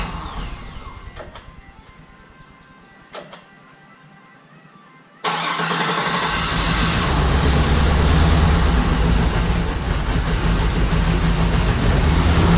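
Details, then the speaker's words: 1955 Chevrolet Nomad with newly installed LS3 engine, first start in about two and a half years: quiet then catches into loud slightly lumpy idle; one cylinder not firing, owner suspects something unconnected. "so it's actually running sounds like I got one of this someplace so what Maya find out which one is not hitting right now but it might just be something's not connected at HUD"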